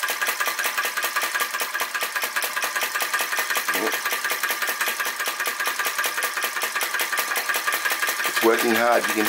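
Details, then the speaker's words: Flame Licker Flame Gulper VE-01 Crossbeam vacuum engine with drive pulley pulling accessories: quick even ticking about two to three beats a second, steady; working hard but running healthy after fine flame adjustment. "hear it working hard very fine adjustments make such a big difference"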